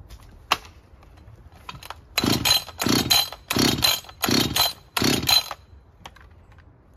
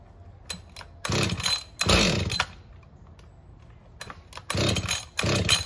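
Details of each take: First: Husqvarna 562XP chainsaw that wouldn't idle and was hard to start, after fixing a bent, leaking decomp valve: crisp throttle blips rising and falling cleanly, then a steady full-speed run; the saw runs fine. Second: Husqvarna 562XP chainsaw, hard to start and won't idle, with a bent leaking decomp valve found and the fuel filter replaced: fires in short raspy bursts that die away instead of idling; still faulty.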